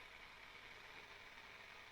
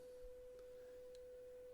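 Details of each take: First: Graetz Super 171W tube radio on first power-up through a lamp limiter, drawing 750 mA at 251 V B+: faint steady hiss from the speaker at full volume with no signal; cause still unknown. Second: Graetz Super 171W tube radio: a 500 Hz signal-generator tone is fed to the output transformer primary at EL84 socket pin 7. A clean, steady beep comes from the speaker with no buzz, so the output transformer is fine.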